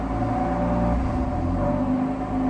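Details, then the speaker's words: BMW M-series car on FlexFuel (E85, BM3 kit) with catless downpipes, new NGK F8S plugs gapped .020, cold start: high cold idle with a brief dip and stumble; owner suspects FlexFuel with GTS Roar/cold start or ethanol tuning; rough idle. "So for some reason, I think apparently when you're on FlexFuel and you have GTS Roar and cold start on, it has weird idles."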